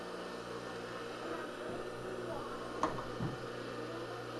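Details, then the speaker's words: Rebuilt Craftsman table saw motor after freeing bearings and regreasing, run for a long time: steady even hum with constant low drone and an odd faint tick, some rattle from the mount, new and old grease settling; normal motor run. "it's possible we're still just the new grease and the old grease is getting to know each other in the bearings not ideal but not necessarily a deal breaker sounds like it's smoothed out already okay some of that rattle is just the mount"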